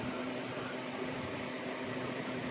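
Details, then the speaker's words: Holmes Blizzard Junior, a small 2-speed fan about 6 inches, switched to high speed: steady, even whoosh of air with a faint low hum and no ticks or rattles. Runs smoothly and normally. "And let's see what the other speed is. Okay, that's high speed."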